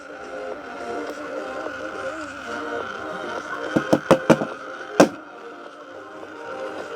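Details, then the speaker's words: Charity-shop dancing-water speaker with coloured lights, paired to a phone over its 5-volt supply, playing music: starts fine, then sharp rasping grating bursts and the water stops; suspected gear inside not meshing properly. "But now we have some weird grating noises going on and the water's stopped."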